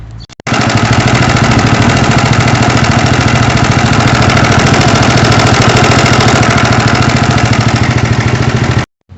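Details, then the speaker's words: Horizon 250 engine idling with a loud, steady hammering rattle keeping pace with idle; two shops diagnosed connecting rod or piston, but the noise was a slack cam chain from a failing tensioner. "como deu para notar Então tá um barulho muito alto um barulho muito assustador"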